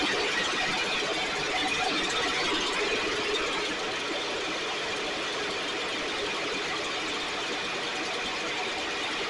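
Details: STIHL backpack blower (believed 6R450) two-stroke, after cleaning and repair; idle previously fluctuated and couldn't be adjusted. Constant high-pitched buzzing drone at even speed; running much better, still loading up slightly, owner suspects internal carbon buildup.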